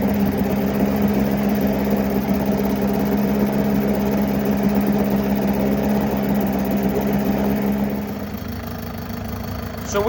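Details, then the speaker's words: Likely 1980s Mercury 7.5 hp long-shaft two-stroke outboard, first run in 20–30 years: buzzy idle with an uneven, stumbling beat, missing at idle. The water telltale is flowing, but an impeller replacement is planned. "mising here we're we're missing but it has an imp and it's there pissing now"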